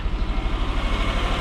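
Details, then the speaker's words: 2006 Subaru Forester (Copart, leaking radiator) overheated after 5-10 minute drive; lumpy idle stumbling a few times a second, burning coolant smell; misfire at idle, owner suspects blown head gaskets. "now she's misfiring. So, reason being, guys, is that the thing probably has blown head gaskets."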